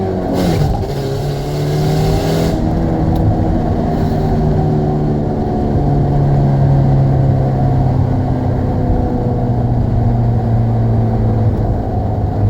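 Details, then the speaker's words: 2005 Saturn Ion with a bad exhaust flex pipe, not yet replaced, recorded by a phone outside the window: the engine revs up to the rev limiter and settles, with an uneven puffing, sputtering, backfire-like exhaust note. "I don't know if you hear the exhaust, kind of sputtering, backfiring type noise."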